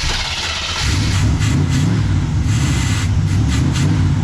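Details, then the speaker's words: 1979 Chevrolet Camaro V8 with Quadrajet carburettor, cold start; catches and runs with low, uneven, lumpy beat at fast idle, grumpy; choke was wired wide open, then closed, still rough. "Survey says grumpy. The choke is wired wide open. I might flip that, close it, let it warm up a little bit, and then we'll open it back up and see what it does."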